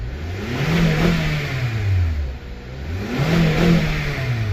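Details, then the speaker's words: 2012 Acura TSX after starter and PCV valve replacement; the old PCV was clogged and leaking. Engine starts and pulls smoothly through two clean revs, then settles back. The rattle it used to make a lot at startup is gone. "No more rattle. No more rattle. Cool. It used to rattle when you turned it on a lot."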